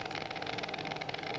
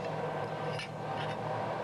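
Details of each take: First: MIG (GMAW) welding carbon-manganese steel with voltage raised: irregular ragged crackle with uneven pops instead of a smooth frying buzz, some short-circuiting still present but globules forming on the wire end and crossing in free flight, i.e. globular transfer. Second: MIG (GMAW) welding of thin carbon-manganese steel plate, wire speed raised slightly for short-circuit transfer: steady, even crackle and fine sizzle with only occasional pops and little spatter. Normal, well-balanced arc.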